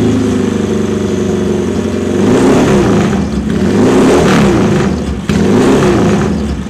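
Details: JS lightweight Norton twin after 40,000 miles with about 1% leak-down: pulls smoothly through several revs and settles back with an even firing beat and no knock or rattle; sounds healthy.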